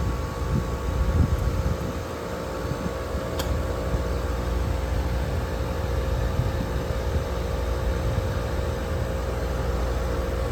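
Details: Air conditioning unit on a no-cooling call that had tripped the breaker: steady low hum with constant fan and compressor drone, no clanks or rattles; compressor running evenly at about 16 to 16.5 amps, well below 25 RLA.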